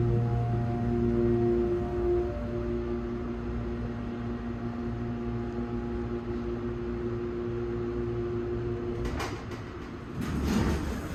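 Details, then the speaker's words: MEI/Schindler elevator motor running: a steady low drone with several fixed tones and a faint rattle near the end. It is far louder than when installed a couple of months earlier. "Wow, did you guys hear that? You see? You can tell how loud it is now. Last time I was here, it wasn't that loud."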